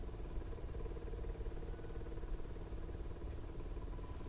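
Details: Onan 5500 RV generator, 15 years old, unused at least six years with bad gas: steady low starter cranking with no firing after priming the fuel pump; owner suspects air in the drained fuel lines.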